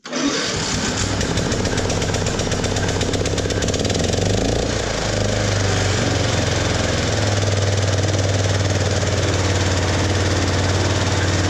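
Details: Ride-on lawn mower tractor with a homemade simplified wiring harness, started with the fuel opened; the owner says the relay is acting up again and needs replacing. It cranks briefly, catches and settles into a steady, even small-engine beat; normal running.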